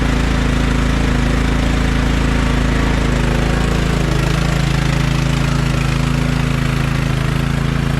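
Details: Other Craftsman LT1000 lawn tractor after carburetor cleaned twice and throttle bracket adjusted: loud single-cylinder idle, steady thumping with slight dip and recovery midway; mild surging, cause not found, owner considers new carburetor.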